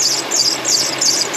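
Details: 2004 Toyota Sienna, over 150k miles, engine running: shrill chirping belt squeal pulsing about three times a second; belt tension and deflection correct, AC compressor starting to seize and drag the belt.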